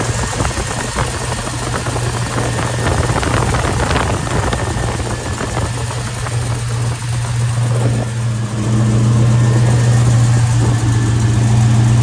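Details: Box Chevy, transmission fluid still low: some rough noise at startup, then a steady low idle with an even beat; idles smooth, nothing amiss.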